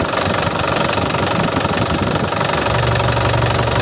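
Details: 2012 Isuzu Panther LS turbo manual diesel, about 70,000 km, rarely used; steady even idle clatter with oil filler cap open, no puffing, chuffing or smoke from filler or dipstick; healthy engine.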